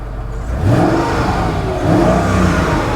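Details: Mercedes ML500 5-litre V8, 45,000 miles, little driven over the past two years: two clean revs, the tone rising smoothly and falling back with no knocks or rattles; the engine is called sweet. Normal engine revving.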